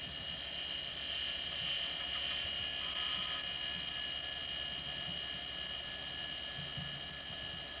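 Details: Quantum ProDrive ELS 127 MB hard drive from 1993, warmed up after an odd start-up noise: quiet, steady high whine with no clicking or scraping; heads silent. Normal spindle motor hum.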